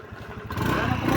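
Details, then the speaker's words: Honda Beat v1 (110 FI) scooter after replacing the crankcase bearing, which cured a loud side/crankcase noise: engine runs steady and even with no knock or clatter, sounding back to stock. "Ayos. Wala ng tugtok. [tawanan] Parang nagbalik sa stock yung ano talagang ano niya."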